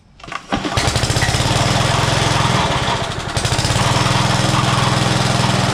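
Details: Old Rover lawn mower, pulled from long storage with its primer bulb refitted: the small single-cylinder engine catches right away and settles into a steady, even putter, running well.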